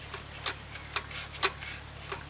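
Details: Stopped engine turned slowly by hand: sharp metallic ticks about every half second, with noticeable play. Suspected spun No. 3 connecting-rod bearing, with a damaged crank and cooked conrod from overheating and over-revving oil starvation; the engine is junked.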